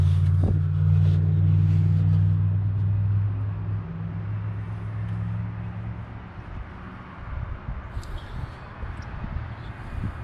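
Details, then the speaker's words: 1979 International Scout II first start after sitting 20+ years, fuel being squirted in to prime: steady low rumble with a regular puffing beat about four per second; owner suspects an exhaust leak. "seems like the noise i'm hearing very well could be a um could be a exhaust leak"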